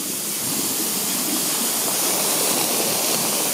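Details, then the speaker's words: Air hiss at the loosened manway flange of a leaking 5000-litre domestic hot water tank being drained. The manway is slackened progressively to let in more air. Steady, even hiss with no more popping bursts, so draining runs faster. "Donc là pour aller plus vite, j'ai desseré le trou d'homme et on entend l'aspiration là. Ça c'est l'air qui passe là."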